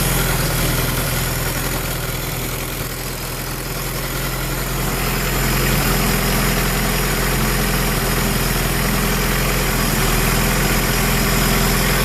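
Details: Honda B18B1 engine with Clevite bearings, forged Wiseco pistons and 15W-40 diesel oil, cold start: loud, hollow knock at idle, about three to four a second. Suspected piston slap, unconfirmed.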